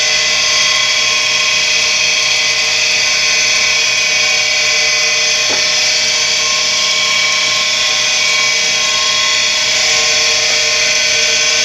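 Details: Tempstar furnace draft inducer motor, slow to start, on a warmer day: loud, steady, high-pitched drill-like whine from the spinning motor; bearings are worn, and spraying lubricant only frees and quiets it temporarily until replacement.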